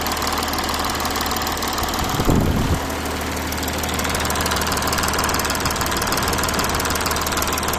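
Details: Audi A6 4G engine at idle: steady idle with light, uneven knocking underneath and one brief clattery burst; source of the noise unclear.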